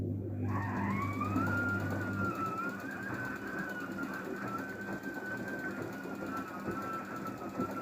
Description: DAEWOO DWD-FT1013 washing machine rinse with squeak noise